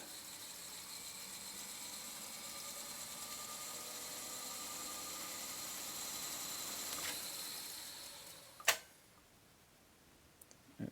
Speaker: very good yeah it's working fine the brakes are holding little felt brakes are holding perfectly now